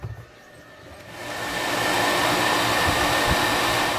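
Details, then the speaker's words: Boat, newly replaced fan, ignition key turned on with the engine not yet started: steady even whoosh of the small blower spinning up, smooth with no rattle or scrape; the new fan runs normally. "And you can already hear the fan running."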